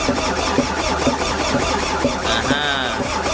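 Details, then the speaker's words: MAN diesel engine that has not started for almost two years, battery earlier found at 5 V: slow, even cranking about once a second with no firing even with starting spray. Electrical supply is OK, but the fuel solenoid valve is not opening, so no diesel gets through. "You know that that solenoid is no open that's why no giving signal no diesel out from the no"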